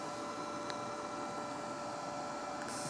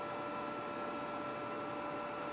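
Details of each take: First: SunSpot prototype cut-wire locator set to watts, about 3 watts output: steady, gentle electrical buzz with a thin high tone, even throughout, making a good spark across the cut. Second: Cable fault locator on a cleanly cut wire buried under tile, with a 1.8 meg ground fault from thinset moisture; set to watts, about 3 W, it gives a steady gentle buzz with faint crackly hiss as a spark bridges the cut; cable fault arcing.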